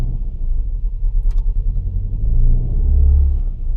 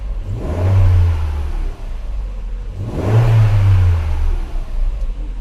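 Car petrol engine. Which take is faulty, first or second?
first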